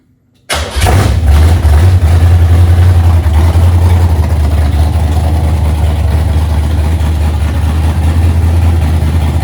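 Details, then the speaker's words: 1982 Holden WB ute, 383 stroker V8 with forged internals, aftermarket heads and a 750 double-pumper carb, first start in six years, untuned and cold: brief crank, clean catch, then a deep, strong, steady lope with no misses. Normal start and idle. "so we have started it and sounds like a bit of a rocket"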